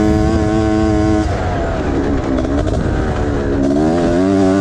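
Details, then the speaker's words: Honda Odyssey FL350 two-stroke after performance overhaul with new expansion chamber, muffler, smart carburetor, intake and liquid-cooled head, on a muddy track: crisp, high-pitched scream rising and falling cleanly with throttle, pulling strong; healthy and much faster. "it's very fast it's uh and it sounds good it sounds like a proper two stru y screaming the queen of pain"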